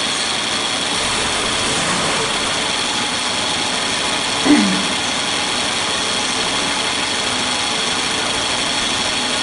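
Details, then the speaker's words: Suzuki Katana idling with the AC on, before the compressor is replaced with an original Denso: the worn, oil-leaking compressor roars rough and loud, audible from the cabin. Cooling is reduced, a seal replaced months earlier leaks again, and pressure is about 5 bar against a 5.5 bar standard. "nanti suaranya juga sudah kasar ini kompresornya sudah ngorok itu suaranya ini teman-teman banyak suaranya sudah berisik"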